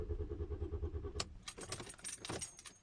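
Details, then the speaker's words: Car that won't start: about a second of steady starter cranking with even pulses, but the engine never catches; after nearly three minutes of repeated attempts it eventually started, running sounding odd; cause unknown. "almost three minutes i'm starting my car and it still doesn't want to start"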